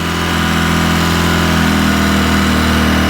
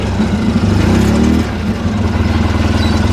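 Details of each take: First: 2010 Polaris Ranger RZR 800 S on first start after engine rebuild, check engine light on: fast, steady droning idle that creeps up and never settles; idle too high. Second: 2010 Polaris Ranger RZR 800 S after engine rebuild, parked after test drive: fast idle at about 2,500 rpm, brief rise in pitch then a steady pulsing beat; good normal idle.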